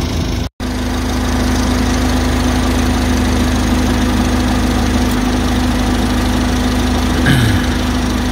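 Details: 2014 Ford Transit Courier, engine idling with A/C on: even steady idle with constant low fan and compressor hum, no knocks or surging; A/C blew warm, cold when driving.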